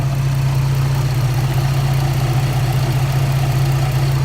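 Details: 2007 Dodge Nitro RT 4.0 after replacing the squeaky belt tensioner, which had chirped especially with the AC on: a steady low idle with an even hum and no chirp or squeal from the belt. The accessory drive now runs quiet.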